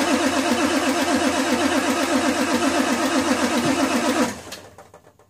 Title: F350 cold start no start